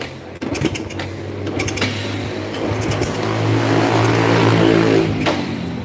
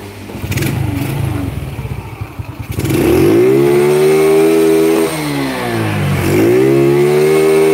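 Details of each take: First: Honda Grand motorcycle kick-started after fitting an aftermarket SDG CDI (not original Shindengen): repeated kicks about four a second, engine turns but never catches, no spark; it starts again with the original CDI. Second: Honda Grand motorcycle with a new engine, testing aftermarket CDI units up to the rev limit; with the Fukuyama CDI it is blipped twice, pitch climbing cleanly to a high scream and dropping back, lighter and freer than with the SDG unit.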